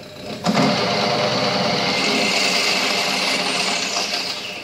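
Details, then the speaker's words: Late-80s Murray riding mower converted to go-kart with 120 V 1/2 HP AC motor: motor hum picks up with a thump as pedal tightens belt, then steady smooth whir of transaxle pulley; normal belt engagement. "it kicks on and runs and it's a new field that you'll be able to hear the transaxle kicking in as I push this"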